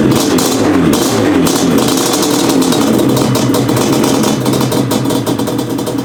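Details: 1997 Yamaha Banshee 350 two-stroke twin after replacing cracked/fallen-out carb jet, rejetted to 310 main and 27.5 pilots: crisp even idle, clean quick revs, no bogging, missing or spitting; normal running.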